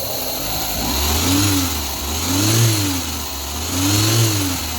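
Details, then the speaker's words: Audi A3 1.8 20V after timing belt replacement, three rev blips: the belt no longer slaps or chatters; the note is slightly lumpy because the engine is running without turbo pressurization; normal timing belt operation. "a correia não chacoalha mais né Não trepida mais"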